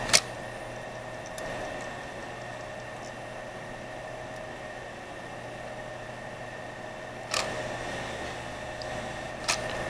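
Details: Old white cradle CD-RW optical drive tested outside the machine: quiet motor whir broken by sharp isolated clicks and stutters; the dirty, glazed drive belt is slipping.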